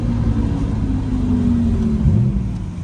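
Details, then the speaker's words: Nissan R32 GTR short gentle pull after new Koyo radiator, Godspeed coilovers and alignment; engine note rises smoothly under road rumble with no misfires, knocks or flat spots; pulls clean and healthy. "Oh, car's feeling really good and healthy. Let's see if we can do a little pull. That feels great. Still babying it too."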